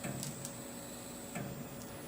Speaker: Now I'm going to use the jogger, just move it one step at a time. You can hear it clicking. Each one of those steps is 1/2 thousandths.